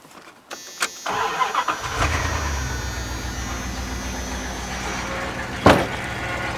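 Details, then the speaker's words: 1994 Dodge truck with intermittent stalling when driven (shorted vehicle speed sensor), started and idling: cranks, catches within a second, then idles with faint steady whine from the power steering pump. "Nice power steering wine."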